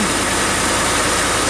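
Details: Ford F-150 started right after an oil and filter change: steady, even idle with a smooth low rumble, no knocks, ticks or misses; engine runs healthy.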